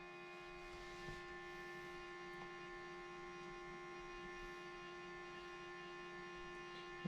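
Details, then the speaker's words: 2008 BMW 335i E92 N54 no-start project, car off with the fan running while the MHD OBD dongle is plugged in: steady electrical hum with a clear whine and high overtones; something stays powered, cause unknown. "all right so this is the mhd dongle so here goes that noise again too this thing's going crazy uh"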